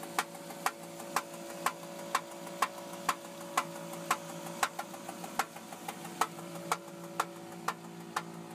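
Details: 2002 Intrepid at idle: sharp, evenly spaced knocks about twice a second over a steady hum; engine knock, source not yet pinned down.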